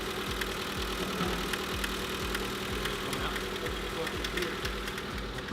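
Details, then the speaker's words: 1996 Honda Civic EK coupe engine at idle: light, even ticks about 2.5 per second over a smooth idle; persistent tick, source not yet pinpointed; rod bearings checked fine with normal side play and no up-and-down movement, so bottom end ruled out. "we made some progress we're trying to find the pinpoint the noise for the tick uh rod bearings look good"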